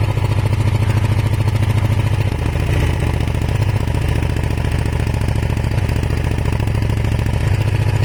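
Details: Kawasaki ER500 twin with white smoke idles with a lumpy, uneven beat and irregular stumbles in the low thud; misfire, owner suspects a broken head gasket, cause unconfirmed.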